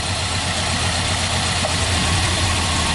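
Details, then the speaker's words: Engine with a cylinder misfire: rough, uneven stumbling idle; unplugging cylinder one makes it run better, unplugging cylinder two nearly stalls it; bad ignition coil pack, runs much better after new coil fitted. "Anyway, it's pretty prevalent for these to have a bad coil pack. That's what we're going to have to put on this one."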